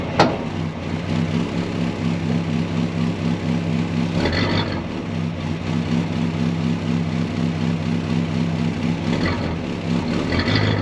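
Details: 1965 Ford Galaxie 500 project car, newly revived, with gauges showing oil pressure and coolant temperature: a steady, even V8 idle with a smooth low rumble and no knocks or misses. Sounds healthy.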